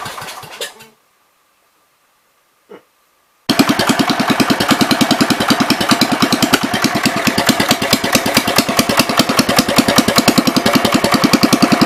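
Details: 1973 John Deere 110 single-cylinder after carburetor cleaning: after a quiet gap it picks up a fast, slightly uneven chuffing at roughly three beats a second, running rich. Gas seems to run straight through the carb, and the owner suspects the needle is hanging open.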